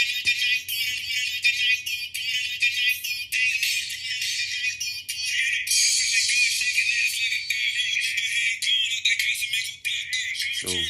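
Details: QSC K12.2 powered speaker: music thin, tinny and scratchy, sound only from the top horn with no bass from the woofer; owner suspects the amp is going out; distorted sound with no bass output.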